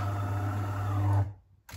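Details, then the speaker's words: DeLonghi coffee machine after repair of the brew-unit main drive shaft, which had caused a red triangle error: a steady low motor hum for about a second, then stop, with no metallic coin-in-a-can rattle, so the brew unit works normally. "and now after assembling you can hear uh the sound of uh perfectly working machine Delon"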